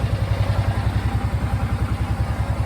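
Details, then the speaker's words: 2003 Kawasaki Teryx UTV, 2,500 miles, rebuilt engine, new smaller Walmart battery, just started: even, regular low thump at about eight pulses a second with no miss or clatter; normal clean idle. "I went ahead and kicked it over, and as you can hear, I don't know if you can hear the fuel pump coming on. Right up, baby."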